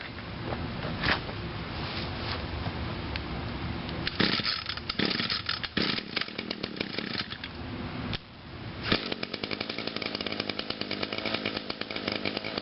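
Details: Echo two-stroke trimmer, cold start after sitting since Friday, on choke with five primes: a few pulls, then catches and settles into a steady, even buzz; clean healthy start.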